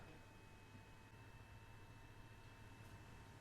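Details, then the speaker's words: Beelink BT7 mini PC with Atom X7 Z8700, fan and copper heatsink: soft constant airy hum with a faint steady tone; cooling fan runs continuously and noticeably, normal. "I've noticed that the fan noise is definitely noticeable. It's constant. You can just hear the fan. It's a constant hum in the background."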